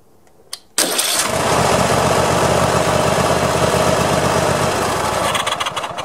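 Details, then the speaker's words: Push mower after a cap jammed on a loosening nut was freed: starter catches quickly and the engine fires into a steady, even run with no hesitation; the fix worked and the nut needed retightening. "so well i think that was it that was kind of kind of easy there"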